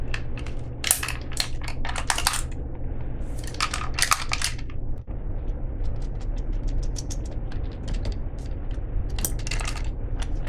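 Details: Hand-crank, solar-panel emergency flashlight unit from a subscription box, shaken: bursts of sharp, tinny clicks and clatter; something loose tumbling inside the housing, cause unknown.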